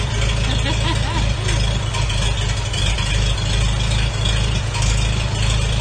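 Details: 1942 Farmall H first start after engine rebuild with a donated magneto: steady, even low chug with no knocks or misses; normal running.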